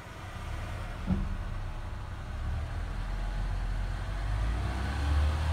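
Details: Car after new battery fitted (old one dead after about 4.5 years, tested 12.46 V): smooth low rumble rising steadily on a single rev, no knocks or rattles; healthy engine.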